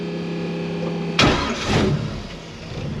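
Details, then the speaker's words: Carbureted Holley Fox-body Mustang with no choke, slightly warm, started with no throttle: fires on the first crank and settles into a slow, even idle around an estimated 400 rpm; healthy start. "just like that I said this car here Al she's ID don't even slower now probably about 400 RPMs now yeah I don't have a I don't have a gauge in here but it just sounds like it's it's idling that low"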